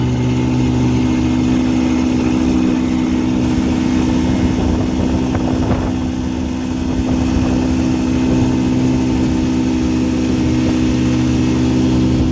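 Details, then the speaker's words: 1959 Elgin 7.5hp two-stroke outboard on 24:1 full-synthetic mix, on the pond after crankshaft repair and restoring spark: steady, even drone at constant pitch with no misfires or surging; runs cleanly and just about planes off. "uh just about planes off after the couple runs of full length of the pond pretty good once it's on the water"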